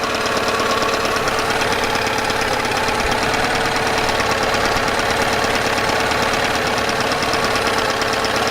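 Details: Yamaha 9.9hp outboard idling after warm-up, after replacing a cracked, dried-out carburetor diaphragm that caused heavy gas leaking; steady even idle with fast regular beat, no misses or stumbles; leak fixed, running cleanly.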